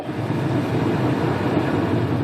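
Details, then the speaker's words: 2004-08 Pontiac Grand Prix heater blower switched full, half, off, then full again, engine running, after repairing the blower motor resistor, possibly only a temporary fix; blower motor still due for replacement: strong steady air rush, no squeal, rattle or surging; normal. "oh yeah that is a working heater full blast half I don't know if you can hear that or not off [Laughter] that's awesome on full blast"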